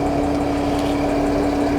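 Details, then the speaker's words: 2008 Mercedes ML 320 CDI that cranked but would not start, with an undersized battery; diesel idling under a loud, steady fan roar with a constant hum; Speedtronic warning shown; the fan is running flat out, cause unknown; excessive cooling fan speed. "Plus I can hear the fan running its balls off, so there's something wrong there."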